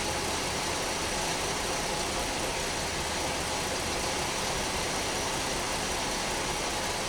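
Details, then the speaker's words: 2010 Dodge Nitro 4.2 L at idle: rough, uneven idle with an unsteady hiss; codes for cylinder 4 misfire, multiple misfire and bank 2 catalyst; relative compression shows one cylinder at 79%, assumed cylinder 4; cylinder 4 misfire. "Now we can see that the one of the cylinders has low compression, is 79%. Assuming that's of course number 4 that has a misfire on it."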